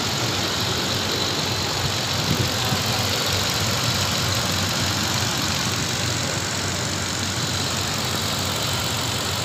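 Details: 2011 Toyota Land Cruiser after repair of misfire and timing over-advance/retard codes, with the computer connector found loose and refitted: steady, even idle with a constant hum and no stumbles; engine now stable and smooth.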